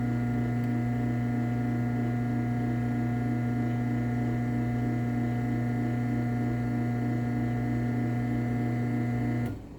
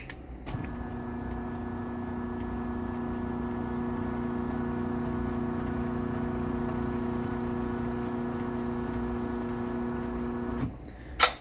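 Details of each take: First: LiftMaster 8365W-267 Wi-Fi garage door opener (May 2019, dumpster find) running down: smooth steady motor drone and even chain whir, clean stop, fairly quiet; runs normally. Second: LiftMaster 8587WL 3/4 garage door opener closing, with bearing noises and travel module issues: sounds decent briefly, then a loud steady droning hum and vibration throughout the run.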